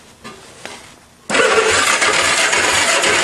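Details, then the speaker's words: Old two-cylinder go-kart engine, long stored, test plugs fitted for a spark test: starter spins it steadily for two seconds but it never fires. No spark, suspected dirty ignition points needing sanding. "No luck. Well, if you look inside this air scoop, I believe that's where the points and condensers, well, I mean the points are, the condensers are at the back, so I'll have to take that cover off, and the air scoop too, and do my typical point sanding and seating technique. That's probably all it needs."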